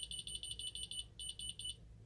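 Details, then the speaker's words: Ademco 6128 alarm keypad arming to away: rapid high beeps about eight a second with uneven gaps and longer beeps; the stuttering piezo is a fault in the older keypad itself, not its power supply. "You can kind of hear some longer gaps and a few longer beeps as well. That's not an issue with power to the keypad. That's just an issue with the keypad itself, unfortunately."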